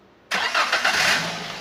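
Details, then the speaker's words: 2015 Daihatsu Gran Max 1.3 pickup, engine dry and not smoking: a quick, light starter crank that catches almost at once and settles into an even idle, with no drag or strain. Normal, light starter cranking and start. "starternya normal enteng Biasanya kalau mesin itu distarter agak berat itu biasanya dari dinamo starter gitu"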